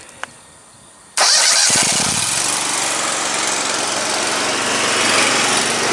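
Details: 72-inch Dixon mower engine with an intermittent misfire, jump-started: it catches after a brief crank and settles into a steady, even run with no misfire.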